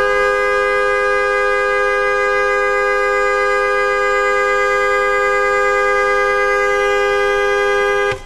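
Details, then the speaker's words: 2009 Toyota Camry with new FIAMM horns replacing the originals, roughly 10-second blow to check the electrical system handles the amp draw: steady, unbroken blast at full strength, no fading or warble; system handles it. "right there's my 10-second blow it the electrical system can handle it that's perfect"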